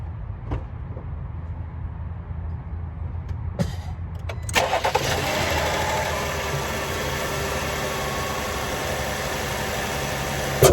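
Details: Car started right after reinstalling a cleaned K&N air intake filter: cranks, catches and settles into a steady even idle with no knocks or rattles; sounds healthy.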